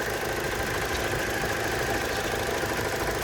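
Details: 2002 Hyundai Accent, 137,608 miles, at idle: steady idle with a quick, rough tapping running under it, even and unchanging; knock/tapping at idle, cause unclear, coolant smell also noticed.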